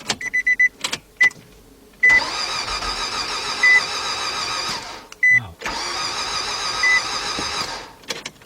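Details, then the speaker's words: 2003 Nissan Altima 2.5 with a timing chain: two cranking attempts spin unusually fast and even, with no compression chugs and no catch; cranks but won't start, sounding like no compression. "Guys, that didn't sound good. Wow, I didn't hear. That sound was like it had no compression."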